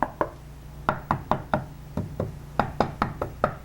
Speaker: it rattles around a little bit so so that's the one that's that's the culprit right there the loose tile